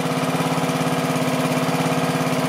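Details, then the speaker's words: Small mower engine at slow idle after carburetor swap with 3D-printed TPU gasket, firing evenly with no popping or hunting; smoother than before, no air leak. "and smooth much smoother than the other carburetor was in there"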